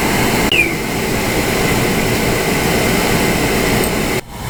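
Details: Oil-fired hot water heater burner restarted after bleeding air from the oil line: ignition crackle, then strong steady roar with no sputtering or pulsing from inside the chamber; burner lit and firing evenly.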